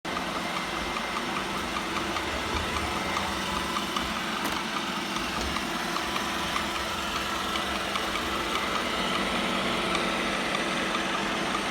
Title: New Roomba i7 plus making a clicking noise 😐😮😡